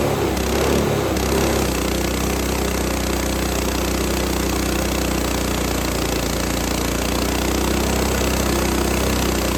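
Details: Lifan 7hp GX200-clone on a Frontier OS18 sawmill, repaired after a loose bolt blew the head gasket: steady, strong single-cylinder drone holding speed through extremely dry, hard ash with a sub-par blade, no bogging; normal, powerful under load.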